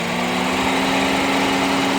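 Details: 2009 Honda Civic EX with a brand-new aftermarket AC compressor: quiet with AC off, then loud hard drone and grinding from the compressor clutch once AC engages, more noticeable on revs; AC blows cold. Owner suspects the clutch. Grinding with AC on.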